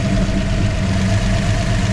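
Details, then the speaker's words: 1963 Ford Fairlane tribute build V8 idling on first long run with new custom exhaust and accessory drive belt setup: steady, even low rumble with no slap, squeal or miss; engine running right, normal idle. "This is like the first time it's been run for a long time. This is probably the longest it's run. for a while. And it's running right."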